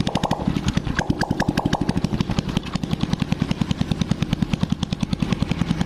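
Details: Honda Blade single after cylinder boring and head reassembly, first start with exhaust removed (oily muffler left off to avoid smoke): bare open-pipe popping about ten beats a second, perfectly even, no missing beats; smooth normal idle.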